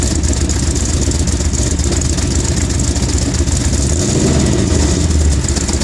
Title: cold start misfire